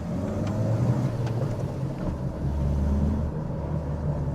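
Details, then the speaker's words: High-mileage Mini Cooper at 200,000 miles after extensive repairs, cruising about 20 minutes with coolant temperature falling from 103 to 96 degrees, accelerating: steady even engine drone rising with throttle under road rumble, no knocks or whine; running fine but slow. "All seems good. All seems good. Car is very slow, but it sounds good."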